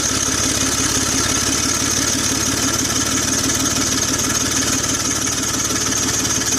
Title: 2004 BMW X3 3.0L M54 hood view Exhaust Leak Noise!